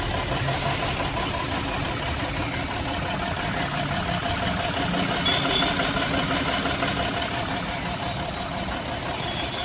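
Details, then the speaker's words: Jaguar XF V6 diesel at idle: uneven, lumpy, shaking beat from cylinder 1 misfire (DTC P0301), glow plug circuit faults, restricted performance/limp mode; engine oil leak also reported. "देख सकते हो आप लोग car मेरी start है और किस तरीके से इंजन मिस फायर हो रहा है। इंजन हिल रहा है"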